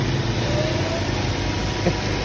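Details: Ford Escape that would not start, after the stuck fuel pump was reinstalled and tapped back into working: steady, even low idle rumble with no misses, knocks or ticks.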